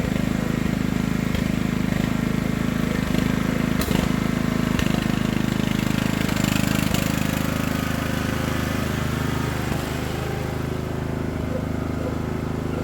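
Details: Craftsman LT1000 riding mower just after Briggs & Stratton engine transplant, first start on choke: single-cylinder engine at steady idle with even beat, no knocks or misses; healthy; smoke is spilled oil burning off exhaust.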